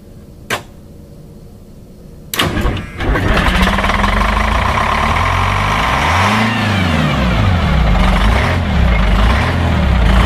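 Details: The 853 diesel on its first start in almost two years, cold (block 24°, no block heater, fresh charged batteries). It cranks and catches, then the idle sags and wavers. Owner suspects the fuel linkage is set low, since slight pedal pressure holds 600 rpm. Low idle.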